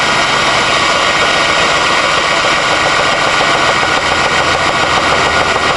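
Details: Steady idle with a loose, irregular knocking over the engine note after an earlier ticking went away; owner suspects rod knock, deep knock of unknown cause, possibly bottom end.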